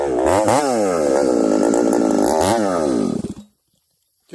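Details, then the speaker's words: Ported 371 XP engine with a newly fitted coil, revving high: pitch wavers up and down instead of holding steady and stumbles before cutting out, breaking up under load; carburetor issue suspected, not confirmed. "think we got a carburetor issue you guys hear that see how it's kind of breaking up acting strange so we'll have to dig into this carburetor further"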